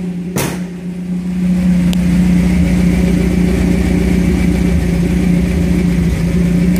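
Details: 1978 Toyota Hilux pickup after a 20R to 22R engine swap, with a thrush welded muffler and carburetor not yet tuned; starts on about a quarter crank and settles into a smooth, steady low idle with even exhaust beat; healthy idle.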